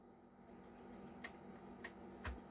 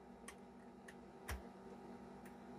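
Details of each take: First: Famicom Disk System trying to save a game to a write-protected disk: faint sharp ticks roughly every half second over a quiet motor hum while the drive tries to write, then an error; disk drive ticking. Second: Nintendo Famicom Disk System writing a third Zelda save file to the disk's B side, with duct tape over the write-protect notch: quiet steady motor whir with light clicks and no grinding or stalling, so the drive writes normally.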